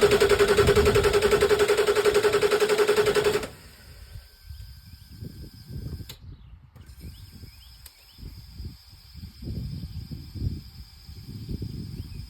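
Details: Ford 7.3 Power Stroke diesel, intermittent hard start: even cranking about 3.5 beats per second for three seconds, never fires; sometimes starts with help, sometimes not at all.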